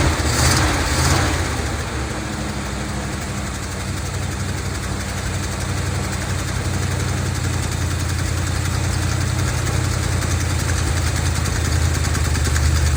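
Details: 1970 Dodge D200 V8 truck, received as a gift, started on brake cleaner: uneven, lumpy idle with an unsteady low beat that never settles after first start. Running rough; owner suspects a vacuum leak from the vacuum hoses plugged off with screws, unconfirmed.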